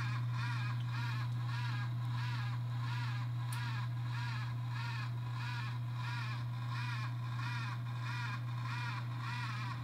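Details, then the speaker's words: Worn bearing in the X570 motherboard chipset fan grinding: steady low hum with a gritty whir pulsing about three times a second; the noise developed after long use, and the fix is replacing the chipset fan. "uh but yeah then eventually it started making this weird freaking grinding noise that was so annoying take a listen"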